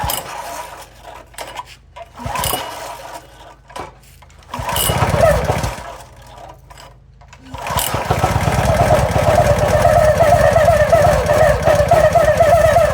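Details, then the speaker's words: Toro SG-6 stump grinder, Honda GX200, no choke, new fuel filter, line and fresh gas with cleaner: several pulls, stumbling catches, rough irregular run, won't hold idle, seems starved of gas; cause ultimately found to be oil level. "So that's what I was seeing before. It fires off, but then it acts like it's not getting gas. Nope, not getting gas at all."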